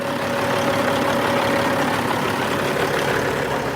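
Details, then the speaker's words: Ex-FedEx fleet diesel truck with dual exhaust, idling after the fan hub disengaged once air pressure built up. Smooth, even hum with no knocks or surges. Normal idle. "Fan hubs back off. So, you can see that it's just at idle now."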